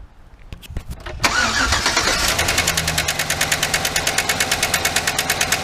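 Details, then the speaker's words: 2008 GMC Sierra 1500 5.3 LS (AFM lifters), started with intake off and coil packs tied back: sharp regular tick about three per second over idle; one lifter bad, likely compressed and stuck, not lifting rocker arm enough; collapsed lifter tick. "Alright, so we see that one of the lifters is bad. Which means there's not enough pressure put on the rocker arm."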